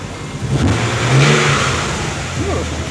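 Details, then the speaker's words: 1991 Nissan 300ZX Twin Turbo, still looking near new, being considered as a restoration project: a single clean throttle blip rises smoothly and falls back with no knocks or rattles; a healthy revving engine. "beautiful thanks for watching"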